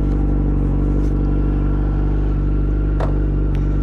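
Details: 2008 Yamaha FZ1 held at high rpm: a thin constant whine over the four-cylinder that doesn't change with revs. Owner now doubts his clutch-basket suspicion; source not found. Engine whine.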